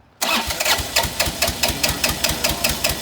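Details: Bobcat 328 mini excavator that had sat a long time, being started with a jump boost: the engine cranks and fires in ragged bursts, about two or three a second, but never settles into an idle; a hard-starting diesel, with ether considered.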